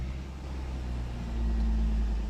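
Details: 2013 Honda Accord idling at normal operating temperature after an idle learn procedure for a rough idle with check engine light: low steady hum with no hunting or surging, normal idle.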